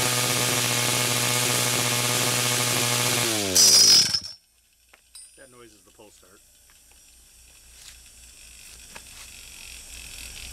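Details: 49cc/47cc pocket bike two-stroke after carburetor replacement for a non-running condition, low on fuel: high buzzy note runs evenly about three seconds, then winds down and stops; running cleanly.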